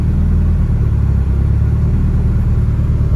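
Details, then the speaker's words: Mitsubishi Evo 9 after repairs cleared all codes, ignition timing corrected, idling with AC on: deep even idle rumble, no hunting or dips under AC load; idle unchanged and healthy. "And the car's idling really good. I like it. Turn the AC on. Idle's still the same."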